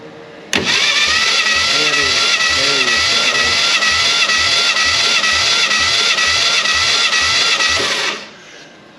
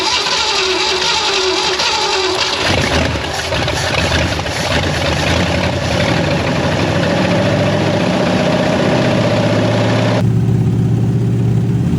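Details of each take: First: 1967 Fastback Mustang recovered from a West Virginia holler, final cylinder of compression test: even starter cranking, steady whine, no missing beats; compression judged good enough to attempt running it. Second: 1967 Ford Mustang fastback V8 rescued from a West Virginia holler, first start: catches and settles into a lumpy idle with an uneven beat, a slight miss, blamed on heavy corrosion.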